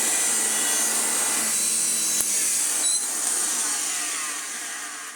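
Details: Hoover Junior 1334 upright vacuum on first test: harsh high screech over the running motor, fading as it spins down; worn brush roll or motor suspected, possibly both, not confirmed.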